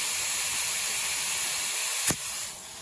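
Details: Steady high hiss that never changes pitch, with one sharp click; air leaking at the tire bead while airing up tires on a 1967 Chevelle dirt track race car that sat in the woods.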